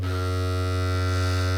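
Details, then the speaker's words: Magnepan MG-3.6R planar speaker driven with a sine test tone near 90 Hz: a steady low tone with a harsh, even buzz riding on it, from delaminated voice-coil wiring on the diaphragm that needs a full re-wire. "Now, uh you tell me who would want to listen to that noise? So, this is happening around 90 hertz."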